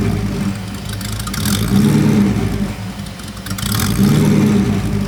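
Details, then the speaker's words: Porsche 928 V8, hot after sitting 10–15 minutes, fan running: idle surges up and sags back every couple of seconds, never settling; struggling to idle, too rich and poorly tuned. "um it's actually struggling to ID at the moment as well so it's clearly not tuned up particularly well um I could play with that but that's another day"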